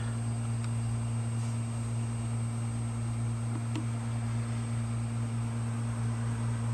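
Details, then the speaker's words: Western Digital hard drive after freezer frost damage and a head swap: even low spindle hum holding steady with only faint occasional head ticks while imaging; drive spinning and reading normally, imaging very well. "Okay, and there we go. Drive's imaging. It's actually imaging very well."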